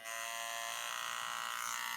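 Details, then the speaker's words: TATVIDA rotary tattoo machine run above 9 V: shrill, steady, rough-edged buzz far louder than a smooth rotary should be, judged unusable. At 9 V the noise was acceptable; cause unconfirmed. "Non, je peux pas tatouer avec ça. Hein. Mast, je tatoue pas avec. Je tatoue pas avec un truc qui fait du bruit comme ça, c'est pas possible."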